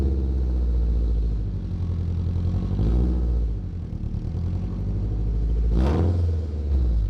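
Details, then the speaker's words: Acura Integra exhaust: loud raw rasp swelling with each rev, like open headers; large hole in bottom of flex pipe leaking exhaust, before flex pipe replacement. "basically the flex pipe that that I do have right now the bottom of it is there's a huge hole and it's what's causing the open header noise or sound open header sound and I really dislike that"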